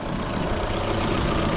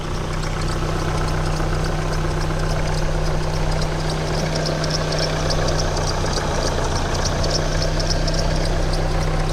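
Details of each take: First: Opel engine idling after repair, previously squeaking near the timing/alternator belt: steady, even idle with no squeak or chirp; cause was the worn belt tensioner pulley bearing, replaced. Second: Opel petrol engine idling, hood open: repeating high chirpy squeak near the timing or alternator belt that grows louder and quieter over time, traced to a worn belt tensioner pulley bearing.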